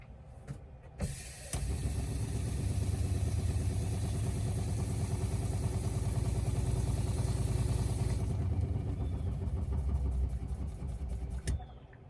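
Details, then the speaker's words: Newly installed ultra-quiet RV water pump, replacing the failed old pump, running after rewiring with no leaks: steady low hum with a soft, even pulse and very little noise, no rattle or grinding; normal pump running. "Right. Only very little noise coming out of this one."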